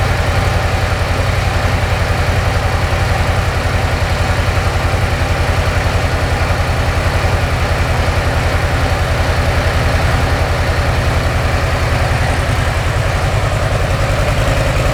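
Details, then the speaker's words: Brand-new 2024 Harley-Davidson Softail Low Rider S V-twin on stock exhaust, before TAB Performance 2.25" install: steady low thumping idle about 214 pulses a minute, even and quiet; owner says it's quiet when lane splitting; normal idle. "As you can tell, I don't know. It's loud, but not when you're on it. It's not very loud when you're lane splitting."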